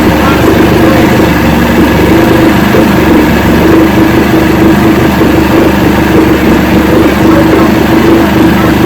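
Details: 1970 Evinrude 85hp two-stroke outboard, hydro-electric shift, about 50 years old, new water pump impeller, run in a water container after shift tests: steady even idle burble, constant mid tone, no stumbling; carburetors judged good at idle, full throttle untested.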